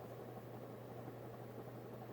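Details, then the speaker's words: Vintage late-70s/early-80s Hunter Robbins & Myers Original ceiling fan, model 22274, oil-bath pancake motor, mic close to motor, starting on high: quiet steady even hum; slight cyclic buzz went away after tightening the globe and loose faceplate, normal. "so it does have a slight cyclic buzz but that went away when I tighten the globe a little bit"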